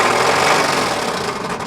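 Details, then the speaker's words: 1999 Chevy Astro revved repeatedly: fast, hard mechanical clatter from a worn rod bearing, rod knock; dipstick glitter test then shows chunks of crankshaft and bearing in the oil. "that's the most beautiful rod dock i've heard"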